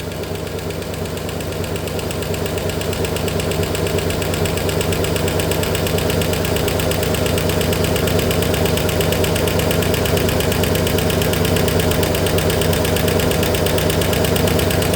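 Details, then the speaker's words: 1964 Oldsmobile 394 V8 idling without a fan pulling air through the radiator, reaching 200°F with steam from the lower hose: a regular knock, about three a second, grows louder and sharper as it heats up; owner suspects overheating. "got steam coming off this lower hose still man look how loud that's getting now see what I mean see what I mean"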